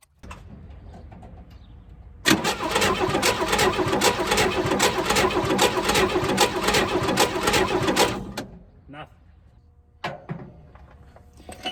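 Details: 1964 Chevrolet Chevelle Malibu, 230 inline-six, sitting 34 years since 1991. Starter cranks with a steady, even chug for about six seconds but it never fires. Owner suspects dinged points or cap wiring.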